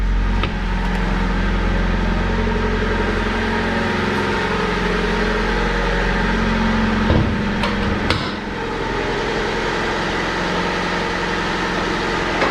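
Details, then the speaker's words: Older Honda bought as a daily driver, check engine light on with code P0135 (O2 sensor): smooth, even, quiet idle with steady low hum and no knocks or ticks; runs pretty good. "but as you can hear this thing is this thing is pretty quiet"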